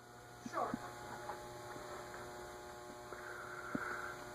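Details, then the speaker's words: Ceiling fan in a store display, powered but not turning: constant electrical hum with no rotor whoosh or rhythm, a few handling clicks; seized motor, stuck and would not free. "Yep, it's just stuck."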